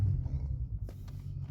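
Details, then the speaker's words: VW Golf 4 V6 24v AUE on E85 ethanol with a newly flashed engine map, just started and not yet warmed up. Steady low idle settles cleanly after a quick blip; the previous map stalled if you revved it. "Ça démarre au quart, pas de broutage, rien, que dalle."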